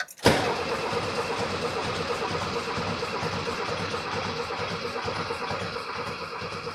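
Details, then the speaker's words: 1979 VW Super Beetle air-cooled engine, sitting over 10 years after a fuel issue, fresh battery, starting fluid sprayed: steady healthy cranking keeping an even rhythm without a catch or pop; cranks but never fires, cause not confirmed. "H I would have expected it to give a little fart or something."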